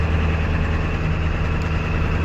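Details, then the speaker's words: Ford 7.3 Powerstroke diesel at idle in neutral: loose, uneven rattle under the clatter from the bell housing area, gone under load or in reverse; transmission to be pulled, cause suspected, not confirmed. "you can probably hear that now it's starting to rattle doesn't sound good and that's neutral reverse it goes away"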